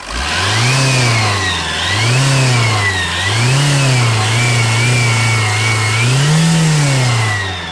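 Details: TDI diesel with AGR engine: a high whistle rises and falls with each throttle blip over the diesel rumble; owner asks whether it is turbo whine, cause unconfirmed.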